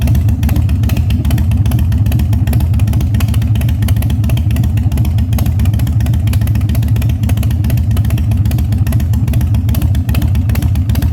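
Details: 1997 Harley-Davidson Fat Boy after carb cleaning, new plugs and battery; cold start on choke at 70°F humid, no air cleaner fitted: deep steady potato-potato lope about 2.5 beats a second, no misses or rattles; healthy idle.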